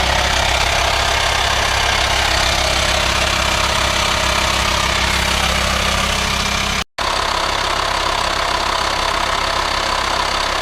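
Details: VW Transporter T5 LWB T32 2.5 diesel 6-speed camper van, 1500 miles in three weeks of ownership, idling: a constant airy hiss over even diesel clatter under the bonnet, sounding like a vacuum leak; no auxiliary belt-driven pulleys, source unconfirmed.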